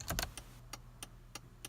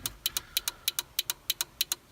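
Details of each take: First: 1989 Toyota pickup 4x4 with LED blinkers: after replacing the flasher relay, crisp relay clicks about every third of a second, a normal flash rate with no more hyper flashing. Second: 1989 Toyota pickup 4x4 after switching to LED blinkers, hazards on: crisp paired clicks about three cycles a second from the flasher relay behind the dash hyper flashing; relay to be replaced.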